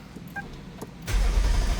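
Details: 2009 Lexus LS460 V8 that would not crank: with the engine computer plug nearest the headlight unplugged it now cranks, a steady low starter rumble with no firing; fuel pressure sensor under the intake manifold suspected.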